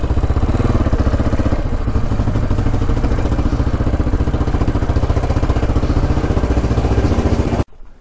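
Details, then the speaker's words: 1980 Yamaha XT500 single, revived after 20+ years sitting, fresh oil: thumping about 220 beats a minute stumbles unevenly then cuts out; sputtering, owner suspects restrictive air box or plugged exhaust pipe. "all right so it was kind of sputtering and not running the greatest when i was taking for a ride"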